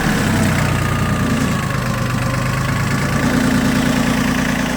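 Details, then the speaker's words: Yanmar YM1802 single-axle-drive Japanese mini tractor with rotary tiller, small diesel: a steady, even idle beat with no knocks or misses. Normal idle. "трактор работает ровно и будет работать еще очень долго очень ровно и очень надежно потому что это японская техника"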